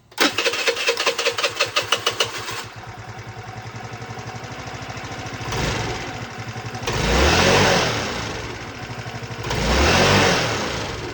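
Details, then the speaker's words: 2006 Volano scooter that had sat for a while, after throttle cable adjustment, valves not yet adjusted, float needle suspect: quick crank catches, settles to a steady even idle, two clean throttle blips rise and fall smoothly; normal idle. "I'll start it up again, is it was idling."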